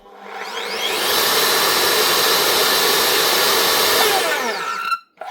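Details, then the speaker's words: Makita SP6000 corded plunge saw from 2015, after a burnt-out motor was replaced with a new armature and brushes: a smooth, steady high whine at full speed with no rattle or sparking crackle, then an even spin-down; the motor runs healthy. "One Makita plunge saw, the SP6000 with a brand new motor. Now, hopefully running like a brand new machine again, with full power."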